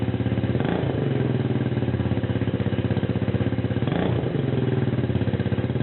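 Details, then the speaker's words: TaoTao Lancer 150cc Chinese scooter idling with a temporary homemade muffler (black pipe coupling and nipple welded to header, lawnmower exhaust) replacing a clogged factory one; loud raw popping exhaust beat. "directly to the header I welded a coupling black pipe then a nipple and other coupling and basically a lawnmower exhaust actually works pretty well it's a little bit loud but it's only temporary"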